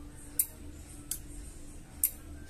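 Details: Microwave oven after replacing a dried-out capacitor that had lost its value: three crisp single clicks from the door switch as the door opens over a faint hum, with no buzzing afterward; normal.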